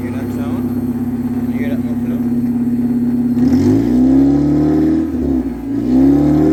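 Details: 1992-95 Honda Civic EG with the muffler removed, started up and revved: raspy, loud, droning unmuffled exhaust climbing in pitch on each rev and falling back.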